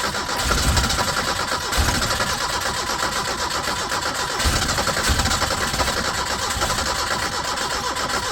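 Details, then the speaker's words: 1980 Chevy Luv truck, abandoned in a junkyard since 1998, first start: brief crank, catches and settles into even, steady idle with no knocks or misses; runs well apart from smoke that gradually fades. "over actually sounds pretty good try it again yep that's a good running little motor other than all the smoke it's going away a little"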